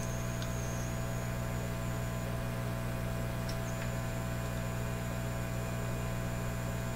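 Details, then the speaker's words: Canadian Admiral J104X/J105X console amplifier, grounding capacitors removed: constant low hum under a thin high whistle drifting and stepping in pitch, two oscillation frequencies, one from each channel, screaming through the output transformers into 8-ohm speakers; amplifier oscillation with hum. "so I took those those grounding capacitors out but the oscillations are still there clearly coming from two different frequencies from each Channel so I'm going to squeal in a way and"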